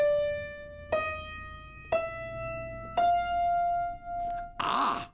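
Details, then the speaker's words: Piano tuning check: single notes stepping upward, one held note slowly swelling and fading over about two seconds, a slight wave showing its unison strings are slightly out of tune, though not badly. "It's not quite pure. There's a little bit of vibrato, a little bit of a wave. None of these are that out, by the way."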